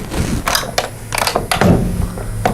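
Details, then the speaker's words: GYS PTI spot welder arm change: loose arm lock lets the arm strike the stop pin, giving irregular sharp metallic clacks; fixed by loosening the Allen screw and tightening the knurled nut to lock at 2 o'clock. "I'm hitting the pin. I'm loose. You can hear it hit."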